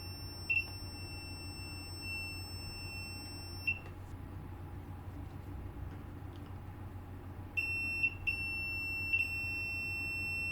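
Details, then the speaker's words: PS5 with no power, multimeter continuity check near the reballed South Bridge: clear high beeps, one held about three seconds, then short chirps, showing the 3.3V power-good rail, also on a nearby capacitor, is shorted to ground. "You can hear the beep on the ground. And I managed to find a short there, which is the 3.3 volt power good rail, which is also on this capacitor here."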